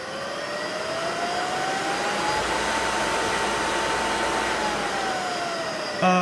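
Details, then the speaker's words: Motor on a custom single-phase-input VFD from the Wadkin Temple, running forward then braking and reversing, with a settable braking time. Steady whine rises, eases down as the drive brakes, then clicks and reverses; normal VFD braking and direction change. "on the on the forward reverse uh um you can actually have a time uh parameter set in there so as it breaks and uh comes down you can actually have a Time parameter in there if if if you need that"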